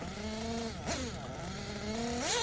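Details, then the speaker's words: Tekno buggy Blok 21BM nitro engine warmed up, first leaning adjustment on the top-end needle: high-pitched buzz rising and falling through short revs, soft and blubbery at the top; still rich on top-end needle. "so the first thing we're going to touching the top and we're gonna get the clean-out overall better so you can see I took a pretty big bite right there"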